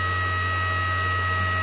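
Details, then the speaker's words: ART-13 transmitter dynamotor running on the bench while its 750 V output is tested, reading 860 V on the high side. A steady, even electrical hum with a fixed high whine, no knocks or scraping. Running normally. "all right and as you can see we have 860 volts again on the high side"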